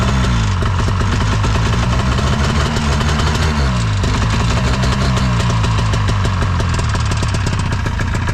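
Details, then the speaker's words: Ski-Doo 377 two-stroke snowmobile, unused for years, running on old fuel: lumpy uneven idle, beat wandering instead of settling; owner suspects the carb needs a clean; loose motor mount also found. "G just seem to work almost guaranteed the carb needs a clean"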